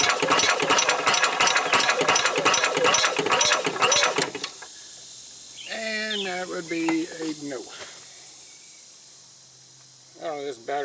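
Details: 1990 Club Car engine being diagnosed. The starter turns it slowly with a tired, uneven chug for about four seconds and never catches. Owner suspects the battery is too small and tries a bigger deep-cycle battery.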